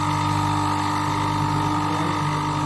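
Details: Single-phase induction motor after winding connection (three terminals: common, R1, S1), running during AC amp check of about 1.6 A: steady electrical hum, clean constant tone, no rubbing or growl; runs normally.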